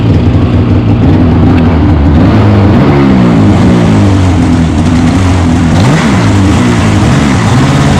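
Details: 2015 Polaris Switchback Assault snowmobile two-stroke after spark plug replacement for no-start and misfire: loud, busy idle holding an even buzz with slight drift, no stumbles or dropouts; started on second pull, normal idle.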